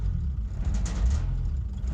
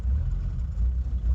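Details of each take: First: Diesel truck with mechanical injection pump running on sunflower oil, idle screw raised because it shudders and hunts at low tick over: deep, even rumble held at raised idle with no hunting or surging; steady fast idle. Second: Old indirect-injection diesel truck with mechanical pump running straight sunflower oil, idling untouched after glow plugs stop cycling: low uneven stumbling pulse with dips in beat; misfiring on vegetable oil.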